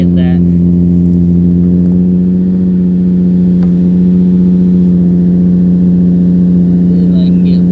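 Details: 2005 Infiniti G35 Coupe Rev Up, started after sitting about a year, service engine light on: exhaust shot of a deep, steady, smooth drone with no misses, ticks or rattles; healthy exhaust note.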